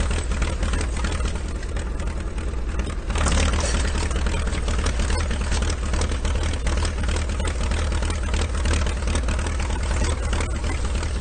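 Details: IH TD-6 dozer diesel after its injection pump was swapped for the Oregon pump, in snowy cold weather. Low, steady idle, slightly rough from idling too long but even and free of knocks. Sounds much better after the pump change; normal idle.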